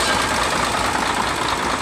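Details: Mercedes-Benz Actros after pump replacement fixing hard starting: steady, even diesel idle with no misses or knocking; running clean and normal.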